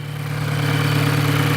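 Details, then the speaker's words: Very noisy Volkswagen GTI petrol engine idling just after start-up, busy clattery mechanical rattle over low hum; mechanic suspects carbon buildup causing poor lubrication; engine rattle at idle. "The GTI engines have a tendency of carboning up and you get a lot of engine noise as the carbon builds up. Things aren't lubricated right. You hear rattling a lot of times."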